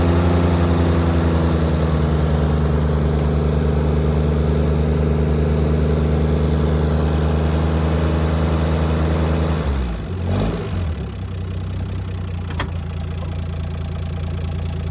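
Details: 1965 Mack B61 crane truck, Mack Thermodyne non-turbo diesel, long parked, block heater and boosted batteries, warmed up: deep, even low rumble at steady idle, brief dip then settling; normal smooth idle.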